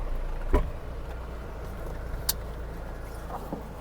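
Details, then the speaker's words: Full-time all-wheel-drive minivan on test drive after transmission repair: steady, low engine and road rumble at even pitch, no surging or racing revs; now shifts quickly, engine no longer runs wild; a stuck-up wheel had caused the problem, rattle remains. "Alright mga kapatid, okay na yung transmission. Wala na tayong problema. Kumakambyo na siya, mabilis na siya. Hindi na nagwa-wild ang engine."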